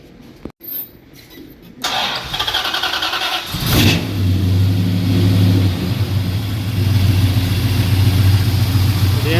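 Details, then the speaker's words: Fully restored 1968 Dodge Charger R/T, 440 big-block V8, four-barrel carburetor, manual; short crank catching quickly on one pump of gas, a rev, then steady even idle; no valvetrain tick or belt noise, healthy start. "starts up smoothly. Only one pump of gas is run. idle smooth. No hot no valve train kicking noise. I don't hear any noises from the belt."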